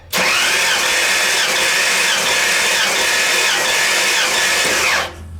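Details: 1985 Ford F-150 rebuilt 302 V8, compression test while cranking with plugs out, cylinders reading about 119–121 psi: steady even whirring crank with no lopsided beats; compression balanced.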